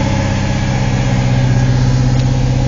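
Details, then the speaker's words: 1977 Holden Torana A9X-style with a fairly fresh motor and steady oil pressure starts first kick and settles into a strong, even idle with a steady low beat, no misses or knocks; normal healthy idle. "Let the gas go in. Starts up first kick."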